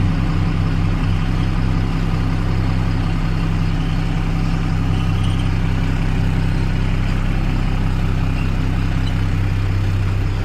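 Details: Tata BS4 24-volt lorry diesel after a battery main-line wiring repair fixed a starting problem and dashboard red light; deep, even thrum holding a steady beat for ten seconds, no misses or knocks: a healthy idle.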